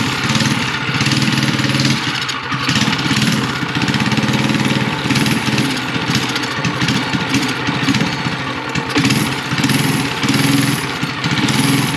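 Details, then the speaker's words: Mini chopper with small pull-start single and newly fitted VM22 carb on custom intake, 304 stainless exhaust: runs rough, revs rising and sagging, won't take throttle, runs only on choke; too lean, main jet swap planned. "all right this thing is too lean I can tell um it's not even taking Gap taking throttle it'll run on the on the choke"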